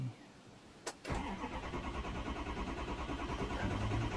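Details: 2006 Ford 6.0 Powerstroke diesel, long crank cold, no start hot: steady cranking about three beats a second with no firing while injection control pressure fails to build; long crank from low injection control pressure.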